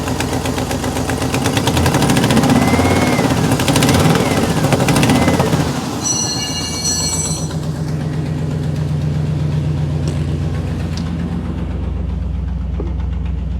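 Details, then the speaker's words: 1957 Chevy V8 after a 4000-mile trip: after a blip it idles with sharp rapid ticking following engine speed; every header bolt on both headers was loose, leaking exhaust; new header gaskets planned. "shape but it's clacking then i look down here and notice this and this so that's our problem now it's probably blown out"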